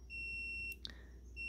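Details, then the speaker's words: SDR transceiver RF switch in transmit mode, probing between the LPF and antenna: a steady high continuity beep breaks off as the probes shift, then returns; continuity present, confirming the relay switching is the correct way around. "And you can hear there's connectivity. So that confirms that the switching here is the correct way around."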